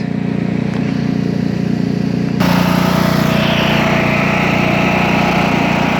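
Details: Craftsman T2200 tractor, Briggs 540cc single, freshly reassembled after camshaft replacement: even, quick putter stepping up slightly in speed, smooth and regular; no gas or oil leaks, no exhaust smoke, residual silicone burning off; healthy.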